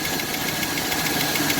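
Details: 2002 Chevy 2500 6.0L Vortec V8 at idle with oil pressure gauge fitted: light quick ticking, about seven a second, over engine hum; oil pressure reads about 15 psi.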